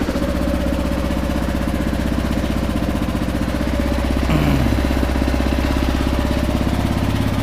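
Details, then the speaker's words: 2009 Kawasaki KLR650, 10,443 miles, cold single just started on choke: steady low thump, very quiet exhaust with no chirp, which owner says this model year eliminated; healthy even idle. "super quiet. Something they did to this model year is the exhaust. They got rid of the chirp. It doesn't chirp at all."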